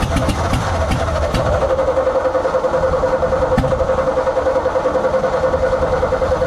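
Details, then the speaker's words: 1957 Ford F100: starter churns at a steady pulse of about 3.5 beats per second and the engine tries but never fires. Owner suspects the carb isn't working, jets probably badly clogged. "it really wants it really wants to start my problem is like I don't think that carb is working which you know isn't that big of a surprise"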